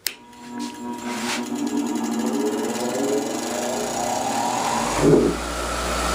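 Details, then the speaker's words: Bench grinder with wheels on, test for balance: smooth steady whir spinning up, settling hum, no rhythmic wobble or table shaking; wheels pretty much in balance, normal running. "we got a little bit lucky or seem to be pretty much in balance"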